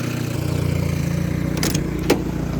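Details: Lada "Zhiga" (VAZ 2106) after knock repair, first drive: steady, even low idle with no knock or rattle; bottom end sounds healthy and smooth, knock eliminated.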